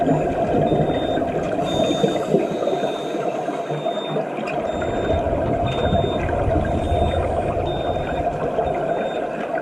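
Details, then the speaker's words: Scuba dive computer during ascent in a dive tank: short high beeps about every half second over bubbling water; alarm warning, meaning unknown to the diver. "During my ascent, the computer did start beeping at me, as you can hear here."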